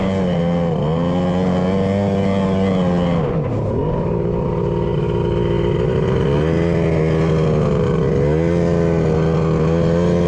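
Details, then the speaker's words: 1100 triple jet ski with custom cylinder head domes, spark plug just swapped: revs rise and fall with rough uneven note, running on two of three cylinders; a rag left jammed in the PTO carburetor probably the cause. "the PTO rag still jammed in there so it's now sitting over there on the log well it would eventually suck it through right yeah but it kind of kind of probably is why it was only running on two"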